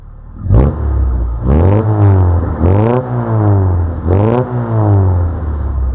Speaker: On a un véhicule qui tourne très très bien. Au niveau de sa montée en régime, donc une montée en régime vraiment stable.